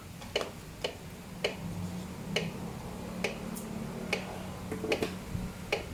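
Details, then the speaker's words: Kawasaki Ninja 650 (ER6N) wheel turned by hand: sharp, evenly spaced clicks about once a second; brake caliper bracket wobbling because the wheel axle is not tight enough, to be fixed by tightening. "Nah, jadi motor ini ada bunyi-bunyi. Ternyata yang bikin bunyi ini adalah bracket kalipernya nggak kenceng."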